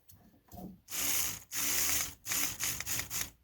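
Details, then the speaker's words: Cadillac 8-6-4 new idle speed motor bench-tested with its green wires reversed to retract it: short, even bursts of a high, buzzy gear-motor whir, working normally. "Just for grins, I'm going to reverse them, which should retract it. Okay, that sounds good."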